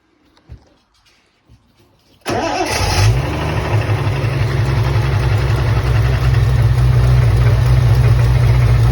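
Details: Triumph TR6 engine at startup: the starter catches and the engine settles into a fast, fairly even idle; an odd noise is reported, but no distinct knock stands out and the cause is unexplained.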